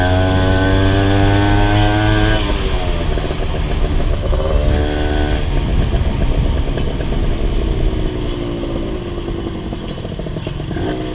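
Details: Rebuilt Honda LS125 two-stroke while riding: uneven, hesitant pull in the middle rev range, low and high speed fine; owner suspects a carburation flat spot, possibly also gear ratio, not confirmed.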